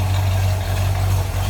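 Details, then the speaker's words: 1965 Ford Mustang coupe, A-code 289 V8 with Edelbrock 4-barrel, automatic, Pertronix electronic ignition, new plug wires, heard from the rear: deep, steady exhaust rumble at idle, even beat, no misses or knocks; healthy idle. "No rumble out of that 289. Nothing crazy, just a nice sounding"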